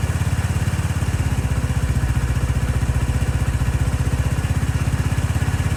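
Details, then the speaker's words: 2018 Lance Cali Classic 125cc scooter, first start after sitting with a dead battery: a quick, even low putter with no misses or surging, idling cleanly; the owner suspects the automatic choke was stuck earlier. "nice and quiet seems like it wasn't happy with the automatic choke"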